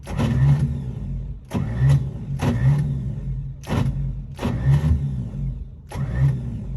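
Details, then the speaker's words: 1955 Chevy being revived, cranking with starting spray: rhythmic starter churn in repeated pulses, no firing or backfire; crank-no-start caused by badly retarded ignition timing. "well i didn't hear it backfiring or sound like it was backfired i really didn't hear firing at all"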